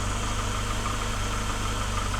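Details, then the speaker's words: Mercedes W124 220E, revived after sitting for years: a smooth, even idle holding about 750 rpm with no hunting or knocks after a sticking throttle linkage was freed; a healthy idle. "I just had a little bit of a fetal and now it's idling at about 750 RPM. You can hear the difference in the engine."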